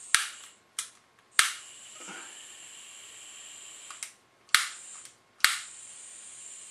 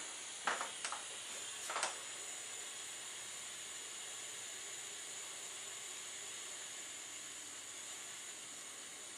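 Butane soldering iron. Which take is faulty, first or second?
first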